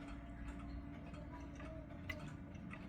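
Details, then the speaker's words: Clock still out of beat after a crutch adjustment, then worse after pushing the other way: quiet, unevenly spaced tick and tock. "No, it's not. Let's try this way. Nope. Even more out of beat."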